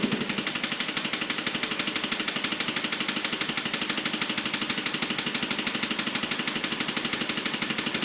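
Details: BMW 545 petrol V8 idling with a fast, steady, sharp ticking over the engine note; the cause is unclear.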